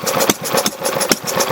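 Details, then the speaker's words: Rebuilt Briggs Model Y single-cylinder engine idling just after the rebuild, not yet warmed up: slow chugging with a strong pop about every half second and lighter puffs between. The unevenness is normal, and the vapour is steam, not smoke; throttle still to be adjusted. "all right it's running pretty good running idle though"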